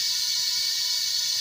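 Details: Kia Rio with a noisy compressor and no cold A/C: a steady thin high-pitched hiss of only air escaping the service port, with no refrigerant or oil spitting out. The A/C system is empty.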